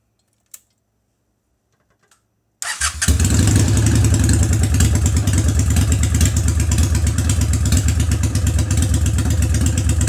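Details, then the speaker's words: Honda Shadow VT750 that would not start from lack of fuel, after clearing a blockage at the fuel filter and confirming the pump works: starter catches quickly and settles into a steady, even thumping idle with no stumbling; fuel delivery restored. "so it turns out that it came right at the fuel filter there was a blockage of some sort because when I removed this piece this piece and blew it out now placing it back in after also testing out the pump which works check this out"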